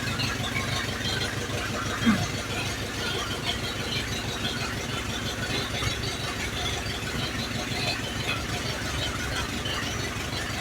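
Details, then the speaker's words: 1948 Willys pickup engine warming up at a steady, even idle with no smoke or radiator leaks, after testing the professionally rebuilt carb; the ignition is all old (plugs, wires, points, coil). Normal idle. "It's idling good, but it's idling with old plugs, old wires, old points, coil."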